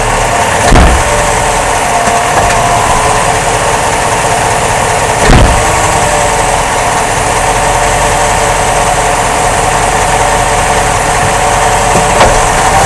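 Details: 2005 Jeep Grand Cherokee: dull single thumps a few seconds apart over steady engine drone, caused by a worn front drive axle rear support rubber bushing and a bad front driveshaft universal joint, which was replaced.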